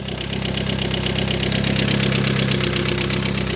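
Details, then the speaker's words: Mini Cooper S on its first start, with all rocker cover bolts loose: fast light ticking, about 160 a minute, over an uneven idle with very loud exhaust; tappy valvetrain ticking at idle, cause unconfirmed. "Does sound very loud though. I mean, the engine sound a little bit tappy. Like I said, it probably doesn't help because all the rocker cover bolts are loose."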